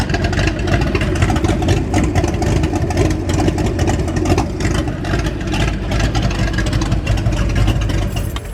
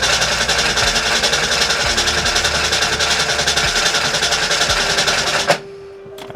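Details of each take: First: 1989 Mustang GT V8, revived after sitting over 10 years, still needing a complete fuel system: a steady, even low rumble with a smooth beat and no knocks or misses; idles cleanly, with oil pressure good and voltage still to be checked. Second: 1989 Ford Mustang GT after sitting over 10 years, fuel flowing through rail and return; fast even starter cranking about three and a half turns a second, never catches: crank no start.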